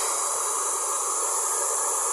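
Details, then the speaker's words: Taiff Tifon hair dryer (220 V, 1900 W) after repair for noise and weak airflow, running on hot: smooth, even airy rush with no rattle, squeal or pulsing; the earlier noise is gone, normal running. "Tá vendo diferença, ó. Acabou aquele barulho, né?"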